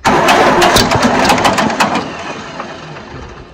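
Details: 1950 John Deere B tractor with choke partly on cranks slowly and evenly, giving only one weak pop and never starting; it ran poorly before and fuel keeps getting into the crankcase; cranks but will not start.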